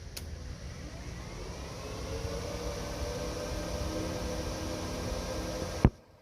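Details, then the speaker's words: Turbo Silverado after new electric cooling fans and wiring were installed, ignition on; fans kick on with an even, smooth whoosh that builds and holds, then a click and silence as they switch off; normal fan operation. "Basically, I got the ignition on the on position. You'll be able to hear the fans kick on, turning"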